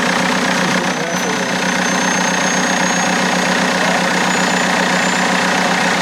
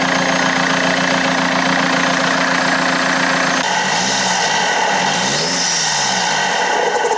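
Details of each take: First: BMW E90 320d cold start just after fitting a new turbo: thin high whistle above the cold diesel idle, creeping slightly higher, sounding like screaming, cause undetermined; smokes but sounds cleaner; high-pitched whine at cold start. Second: BMW E90 320d diesel after new turbo fitted, air filter removed, warming up on a cold day: steady even idle, no turbo whistle or whine, some handling noise; healthy.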